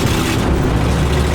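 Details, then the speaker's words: 1977 motorhome cruising at the speed limit, fully warmed up on 91-octane premium fuel: deep, heavy drone with an uneven, lumpy beat underneath. It is not running great; cause not found. "Well, I'm going the speed limit, but as you can, I'm sure you can hear it. Not running great."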